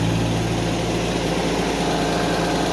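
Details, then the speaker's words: 1991 Mercedes 190E idling during exhaust repair, rear exhaust section not yet secured: fast light ticking over the engine note from rattling hydraulic lifters. "some lifters rattling because it's not secured in the end at all"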